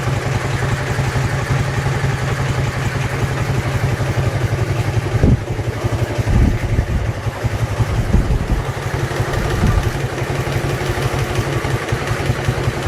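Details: Dnepr-11 twin at idle with a loose, irregular clatter on each firing pulse, about three a second. It is an engine knock whose source was not found even after the engine was opened up.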